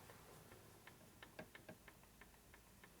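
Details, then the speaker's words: 1978 Harley-Davidson Shovelhead engine on the bench during machining work, cam gear rocked by hand to check lash: only faint light ticks where there was heavy clunking before; gear lash is right on. "Not much. Before it's going clunk, clunk, clunk, clunk. Now it's barely doing anything. So right now it's right on the money. That's where it should be."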